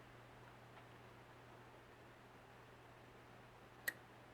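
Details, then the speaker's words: Pioneer SX-3900 receiver during restoration, powered through a dim-bulb tester: over a quiet mains hum, a sharp second click after a delay as the speaker protection relay engages. Normal protection relay click on power-up. "hear that second click is the protection that won't only kick in if things are a pretty solid as far as what's going on in here"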